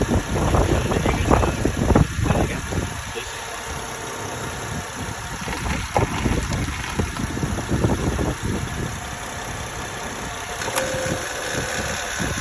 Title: Honda Odyssey 2008 EX engine noise after changing timing belt